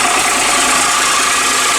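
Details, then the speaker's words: Diesel bus engine, short start on low fuel to keep the engine turning over: steady, even diesel clatter at idle with no misses or hunting, not really smoky; sounding happier than the week before. "So let's see if it starts. It's sounding happier than it was the other week."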